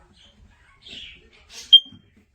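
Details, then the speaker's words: First Alert combination smoke and carbon monoxide alarm, made 2018 and four years in use, which had stopped sounding before its battery was changed: on test a single loud, high-pitched beep rises from faint handling noise, sounding normally again. "Now it's making a big sound. Yeah, that kind of sound we needed."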